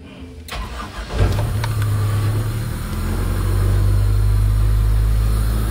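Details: Toyota Revo 7K engine after burnt wiring repair, with distributor, throttle body and injectors replaced, check engine light on: short crank, then it catches and settles into a steady, even low idle. Finally starts and runs normally.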